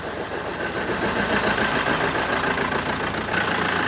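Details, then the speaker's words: Police-auction BMW E46 diesel that sat for 5 years, first start on a booster: it initially ran rough and not on all cylinders, then smoothed out to a steady, even warm idle clatter with no stumble or hunting; normal idle. "Oh, actually smoothened out. Now it sounds like it should."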